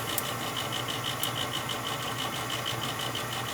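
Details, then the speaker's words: Old gas furnace making loud fluctuating noise at night: steady motor hum with a light, uneven rattle from the motor up top, suspected dry, loose motor bearing; lubrication considered, not confirmed. "could be that that motor up top seems like it's a little rattly."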